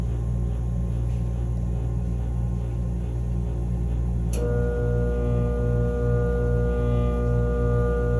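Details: Furnace humming/grinding: steady low hum with tonal lines, a second higher drone joining halfway; capacitor tests OK, cause unclear.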